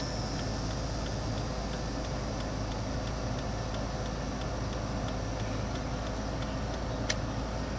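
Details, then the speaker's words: 2001 Ford Taurus turn signals and hazards after replacing the turn signal relay under the steering wheel with the OEM part: crisp, even clicks about three per second over a quiet hum; flasher cycling normally, as it's supposed to sound. "Okay, that's the way it is supposed to sound, and that's the way they're supposed to work."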